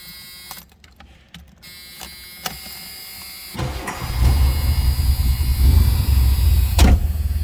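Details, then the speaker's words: 1983 Ford Mustang GLX convertible, about 36,080 miles, cold start heard from the cabin with a seatbelt chime: engine catches easily and settles into a steady low idle rumble. Healthy start and idle. "Just flipping between 79 and 80. Take a look at the gauges. That was a cold start."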